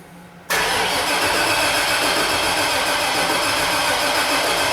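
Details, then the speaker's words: 2002 Chevy 2500HD 6.0L plow truck with no spark and no injector pulse: steady starter churn at about four beats a second that never fires; no RPM data PID while cranking, and a crankshaft sensor fault is suspected. "Being that we're missing RPM data PID, really kind of leans me to something along the lines of like the crankshaft sensor."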